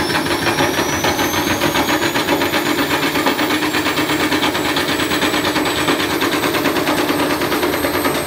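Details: Candy Grand'O Vita tumble dryer on a fitted washing machine motor, belt re-tensioned, some slipping: rapid rattling thrash with scraping at high spin as the overspeeding drum bashes around and tears plastic off.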